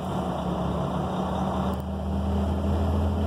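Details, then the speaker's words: Truck idling at 600 rpm, PTO engaged, engine rises smoothly to 1,000 rpm (blower about 1,800 rpm) to run the HydraChem pump, HydraChem in neutral bypassing hydraulic fluid; steady low drone rising evenly, normal PTO engagement. "the truck is idling at 600 rpms when I engage the PTO it's going to go to a thousand rpms and that's where we run the Hydra chem pump or compressor no faster no slower so here we go PTO is engaged"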